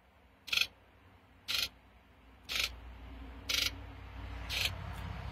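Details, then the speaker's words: 1995 Ford 7.3L Powerstroke injector buzz test run from an Otofix EvoScan Ultra scan tool, injectors together then individually in numerical order; even sharp high-pitched buzzes about once a second, each matching: eight uniform buzzes, test passes. "and we had eight uh uniform buzzes so everything on this truck as far as the buzz test passes"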